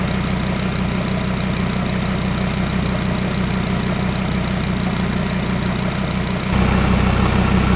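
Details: Audi RS3 DAZA five-cylinder engine on first start-up during coolant bleed, heater coming through warm: smooth, even idle with steady low hum and a slight rise near the end; runs cleanly, nothing abnormal.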